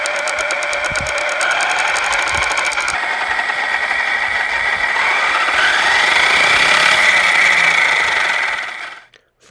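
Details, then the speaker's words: Losi Lasernut U4 RC truck after re-setting the front ring and pinion gear mesh, one battery pack run through it. Steady, even motor and gear whine with no ticking or clicking; drivetrain now smooth. "we ran a battery pack through it and it doesn't seem to be clicking anymore. Everything seems to be smooth."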